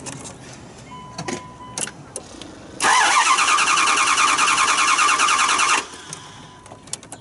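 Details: 2009 Dodge Durango: starter spins engine evenly about three turns a second for three seconds without catching; crank no start, fuel pressure below required 49 psi.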